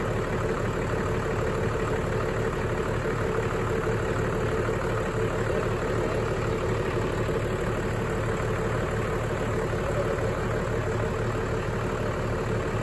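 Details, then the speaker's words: 1996 Dodge Ram 2500 12-valve Cummins diesel, first start after sitting seven years, fuel primed via lift-pump primer: cold idle, steady even clatter, no stumbles; smooth for being cold, oil pressure about 77 psi. "yeah little walk this is super exciting all right so is running pretty smooth for being cold cool just let it warm up"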